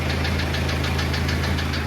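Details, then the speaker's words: Diesel engine on a drive with possibly too much oil pressure: sharp knocks about seven a second hammering over a rough run; internal engine problem, a damaged piston knocking. "Uh-oh. Sounds like we might have internal engine problems"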